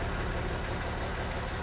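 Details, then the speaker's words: Jeep in cold Colorado mountains: idling super rough, uneven lumpy beat and wavering low rumble instead of a steady note; also struggles going uphill, cause unknown. "I don't know if you can hear it, but it's idling super rough, and it's having issues when we go up hill."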